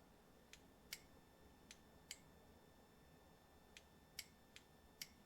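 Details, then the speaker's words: Purge control solenoid valve (codes P0458/P0459) bench-tested with battery power applied directly by alligator clips: sharp, crisp clicks, about eight in five seconds, one per energizing; valve opens cleanly and passes air, so it works. "okay you can hear it click so that's a very very good sign"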